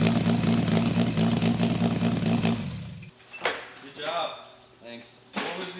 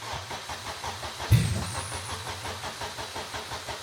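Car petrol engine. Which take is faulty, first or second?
second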